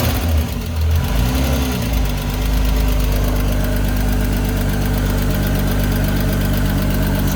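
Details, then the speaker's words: Six-cylinder engine after reassembly and reseating a loose spark plug wire, out of gear: steady, even idle, smooth low drone; earlier valve train ticking gone, all six cylinders firing cleanly. "okay so the valve train noise right away went away great news definitely sounds like a run around six cylinders"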